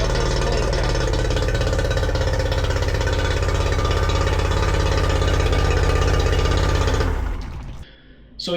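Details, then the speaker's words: Yamaha 40 hp two-stroke outboard after replacing cracked fuel lines (had cut out under load): steady even two-stroke drone, regular fast beat, no misses or cutting out before shutoff; running clean. "Everything was back to normal. Engine was healthy, was going in high revs, not had any problems um under big loads, you know, when when when you're cruising."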